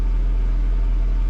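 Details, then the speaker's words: 1997 Honda Civic EK hatchback, idling with the clutch let out: low steady drone with a rough rumble under the engine note; not a normal sound, owner fairly certain it is transaxle bearings and a bad clutch. "yeah that's not a sound it's supposed to make fairly certain those are transaxle bearings and the clutch has definitely gone bad"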